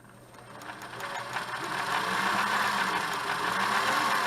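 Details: Singer Model 628 Touch & Sew after a bobbin case fix; its positioner arm can rise at speed and let the bobbin case jam, but it is serviceable. It winds up smoothly to a quick, even patter with no knocks or jamming: running smoothly.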